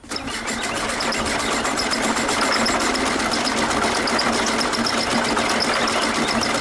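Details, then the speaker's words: VW Super Beetle Volksrod flat-four on its first cold start after rewiring: ragged, uneven chuffing at about four beats a second, not firing on all cylinders; misfire from one troubled cylinder, owner unsure whether ignition or one side of the carburetor. "definitely not running right on all cylinders not sure yet if it's ignition or if it's one side of the carburetor not doing what it's supposed to do so we definitely got a misfire"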